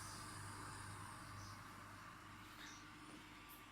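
Steady, even low drone with light hiss and no knocks or rattles; compressor running smoothly and quietly.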